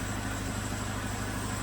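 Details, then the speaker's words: 2009 Chevrolet Malibu Hybrid, 110,000 km, transmission in limp mode; with the mass airflow sensor and induction system refitted it idles steadily with a smooth low rumble and no misses or stumbles, running much better. Normal idle. "well i'm gonna put the mass airflow sensor and our induction system back on so it runs much better with the mass airflow sensor and induction system back on"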